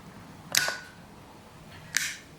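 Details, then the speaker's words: 2004 BMW E46 heater control valve actuator bench-tested out of the car (cold driver vents, hot passenger vents): two crisp clicks as the plunger snaps out, then returns late and unevenly, rubbing; sticking solenoid plunger, owner plans to lubricate it. "the spring wants to bring it back but I think it's getting it's not going completely straight in and out and so you can kind of hear it too it's rubbing"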